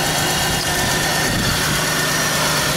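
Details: 2000 Pontiac Bonneville idling with a misfire on cylinder 3; owner suspects ignition module, maybe coil pack: rough, uneven idle with loose stumbles in the low rumble; cause not confirmed.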